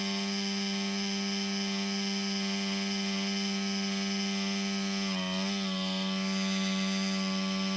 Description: All of a sudden, my laptop fan started making noise. The CPU overheats and shuts down.